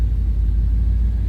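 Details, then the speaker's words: 1988 Chevrolet Silverado 1500 4x4 regular cab at idle: deep, low, even rumble with a steady beat and no ticks, knocks or misses; nice smooth running truck, healthy idle. "Nice smooth running truck, as you can hear."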